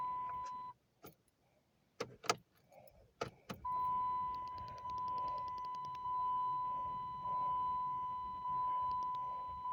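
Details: 2008 Dodge Charger, intermittent no-crank returning a week after a shop repair: the dash chime drones and the key gives a few clicks, but the starter never spins. Sometimes it takes 10 key turns to start, and swapping the starter relay didn't help.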